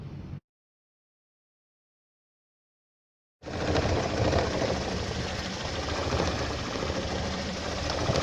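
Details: 2015 Toyota Corolla with codes P0351, P0353, P0354 (ignition coil primary/secondary circuits), bad coil found: after a short pause the engine idles with an uneven, stumbling beat near four per second, a misfire from failed ignition coil circuits.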